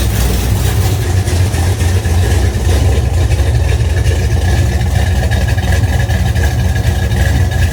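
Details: 1971 Dodge Demon, rebuilt 1974 318 V8 with 273 heads, Edelbrock intake and Holley 750, cold start at 30 degrees: loud lumpy idle with a chuffing pulse at each firing. Cheap kit header gaskets are leaking and due for replacement.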